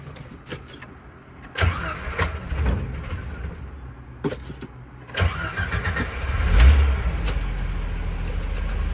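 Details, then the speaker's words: Repaired 1988 Jeep Wrangler YJ converted to electric fuel pump, rewired, new fuel filter: slightly slow crank, then catches cleanly and settles to a steady, lower idle; starts better than ever, healthy start. "A little cranky, but it starts way better than it ever has. Sure, idle's lower."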